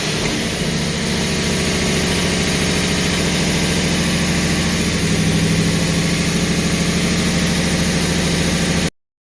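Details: Holden 308 V8 first start after full rebuild, sleeved to standard 101.6 mm bores, Crow Cams 282-duration cam, remanufactured Quadrajet: steady, lumpy idle with an even throb and slight cam lope, no knocks or misses; healthy.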